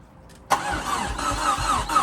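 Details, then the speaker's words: Fiesta RS Turbo restoration, first start attempt after sitting over four years: starter spins the engine with rhythmic churning but it never catches or fires; cranks without starting. "okay we are turning over last b or nothing"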